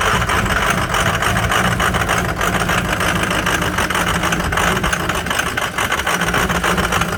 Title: Film cold start 6.0 Powerstroke with some bad injectors.